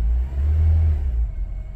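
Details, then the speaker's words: 2007 Honda Civic after work on cylinder 2 misfire (P0302): deep even rev rising and falling smoothly, no misfire; starting and running smoother. "it's starting smoother and it seems to be doing smoother"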